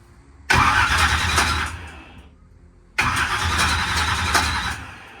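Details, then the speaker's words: Turbo drag race car, the day after a big backfire locked the engine, cranked with ignition off: two short cranking bursts with a harsh, gritty grind as the starter hits a damaged spot on the flex plate. "okay I don't know if you can hear that the flex plate definitely has a bad spot in it"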